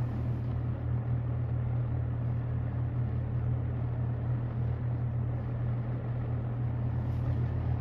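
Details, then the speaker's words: Restored ~1977 Superlectric 2083 fan on high: constant low electrical hum with a rough buzzing edge, steady pitch, only on high speed. "okay that's weird it only does it on high okay yeah that's strange yep only High only on high does it make that sound that is so strange"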